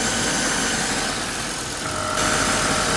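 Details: Mercedes-Benz GL450 V8 after replacing the leaking oil filter housing gasket: smooth, even idle with a steady light hum and no knocks or ticks. The engine sounds healthy.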